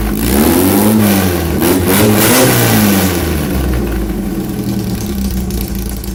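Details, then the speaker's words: VW Bug with points ignition, just static-timed: crisp, even exhaust beat climbing cleanly on revs and settling back without popping or hesitation; timing correct, normal running. "Your motor should run pretty well, because most bugs time at that."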